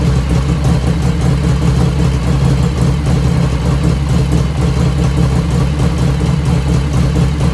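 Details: 1985 FXR at cold start, about 49°F, after a float setting: a steady, even low-pitched V-twin idle with a smooth loping beat and no top-end ticking. Lifter noise develops only as the engine warms.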